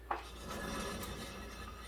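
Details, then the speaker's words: 2015 Ford Focus, car on lift: front wheel spun by hand while squeezing the coil spring, no bearing play but low steady rasping drone, feels rough through spring; worn pressed-in front wheel bearing (roughness), other side smooth. "grab the coil spring you can hear this one it feels real rough in the spring"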